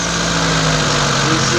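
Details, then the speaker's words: T120SS injection engine just after cold start, stepper motor (ESC) idle control raising rpm, warm idle normally 700–900 rpm: even raised idle, smooth, no misses; normal cold-start fast idle. "Kalau mesin masih dingin, dia RPM-nya akan tinggi. Nah, bunyi itu adalah bunyi dari ESC ini atau stepper motor ini."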